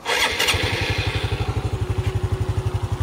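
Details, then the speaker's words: Honda Dash 125 FI motorcycle at 126k km after 4 years of delivery use, just overhauled with a new timing chain set. Catches after a brief crank and settles into an even, steady idle; normal start. Owner notes a slight noise that gets louder when cold. "Cun bunyi dia."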